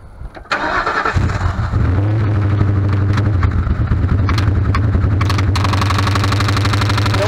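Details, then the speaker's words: Ford Crown Victoria after spark plug change and throttle body cleaning: cranks and catches, then idles with a light rapid ticking from the top end; valve covers off showed no oil reaching the top of the motor. "we spun it over and we figured out that it had no no oil going to the top of the motor so all that noise is from the top of the motor so we're investigating it and we'll have it fixed soon"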